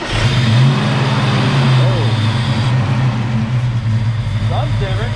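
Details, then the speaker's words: Fox Body Mustang convertible with freshly swapped 306 V8, computer already swapped, timing 10 degrees: low uneven loping idle with dips, wants to shut off; check engine light on; distributor replacement suspected next. "back to 10 degrees guys it wants to shut off yeah it wants to shut off again around 10 degrees"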